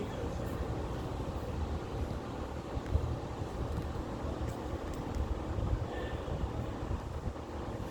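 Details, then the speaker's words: 1998 Yamaha LS2000 jet boat engine run on land, not tested in water; steady even low rumble at constant speed, no knocks or misses; engine runs and sounds alright. "It sounded alright, but I don't know if it'll run water."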